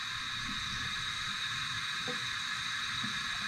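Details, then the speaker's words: 1969 Plymouth Valiant, stock 360 Magnum turbo, leakdown test with intake valve closed: steady even hiss of air escaping into the crankcase past rings; owner still believes head gasket is the main fault. "when i get this intake valve closed you can hear it coming out of the crankcase right there you can hear it pushing right into the crank case"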